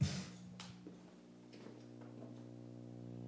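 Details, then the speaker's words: Bang & Olufsen receiver on the phono channel with no music playing: steady low drone with buzzy overtones and faint clicks; owner suspects AC hum, source unknown. "yeah here that it's pretty Annoying It's like a I don't know if it I think it's AC hum"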